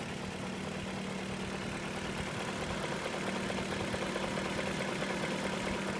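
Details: 2001 BMW 540i E39 automatic V8 at idle: loose, uneven ticking knock of unclear source; chain tensioner replaced a week earlier, oil pan dropped with no plastic pieces found; knock undiagnosed.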